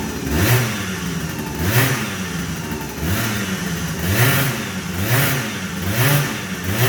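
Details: Two-stroke scooter with MVT Millennium ignition (tired stator) that stuttered, then would not start. After the rebuild, with wires insulated and parts cleaned, the buzz climbs cleanly on repeated blips and drops to idle without cutting out: normal idle and revving.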